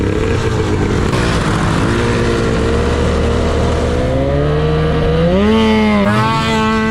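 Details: Yamaha YFZ450 custom chassis with swapped Arctic Cat F1000cc two-stroke EFI engine, first test ride; loud two-stroke drone rising slowly and unevenly under throttle. Sluggish, groggy response; owner plans to fine-tune fuel pressure, cause unconfirmed.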